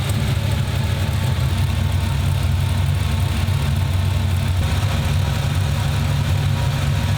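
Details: 1995 Ford Mustang GT 302 V8 after swapping in a new intake manifold, rebuilt carburetor, fuel pump and gas tank: deep, steady rumble with even firing, no misses or knocks, now running on all 8 cylinders.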